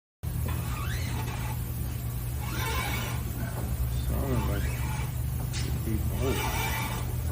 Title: Weird Noises When You Turn?Your Ball Joint Could Be Going Bad!